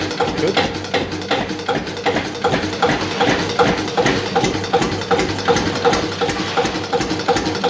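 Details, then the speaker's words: Witte single-cylinder diesel engine at very slow idle: slow regular thump with a sharp knock on each firing, nearly three beats a second; diesel knock, injection timing suspected slightly too advanced. "the timing might be just a tad too advanced okay but that's why it started so good"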